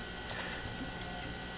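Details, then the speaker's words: Floppy disk, shutter removed after being struck with a hammer and run over by a chair, reading in the drive: quiet steady scratchy whirring with light irregular ticks as the damaged disk drags under the head, yet files still open. "let's see if it actually reads files oh it's crunching away there do you hear that but it's actually opening"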